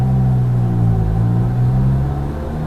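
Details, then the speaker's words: Lada Vesta Cross, taken in under warranty for an engine noise: heavy steady low hum under light revs, sagging slightly toward the end. Engine drone at low rpm; source not found. "снова тот звук дурацкие короче объясняешь в преддверии собрал собрал потому что значит по гарантии обратился по звуку двигателя поэтому гул посмотрим что скажут еще раз это челябинск обратился поехали"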